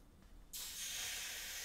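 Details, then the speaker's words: Egg boiler after no-power switch repair: quiet, then sudden strong hiss and steady sizzle as water hits the hot plate; heater is heating properly. "that's a good noise told you it was hot pour all of it on before it boils away"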